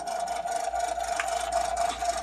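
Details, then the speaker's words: Mr. Christmas Gold Label World's Fair Carousel, 15 V DC 400 mA, date code L29, just switched on: a thin whirring drone with an uneven rattle, no music playing and some lights out; the drive sounds rough and noisy. "But here's the problem, turn it on. So not all the lights are working and it sounds horrible."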